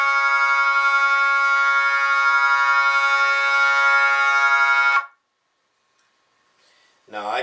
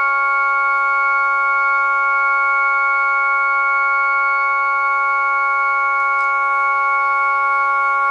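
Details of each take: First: Jensen V21 Leslie upper horn driver fed by a Leslie 122 amplifier and a 1963 Hammond B3 organ, before the diaphragm is reset: a steady organ note with a rough, raspy buzz on top; the diaphragm is rubbing. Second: Jensen V21 Leslie upper horn driver with a Leslie 122 amplifier and a 1963 Hammond B3 organ, after the diaphragm was reset: a clean, steady organ tone with stable bright overtones and no buzz or rattle; normal driver tone.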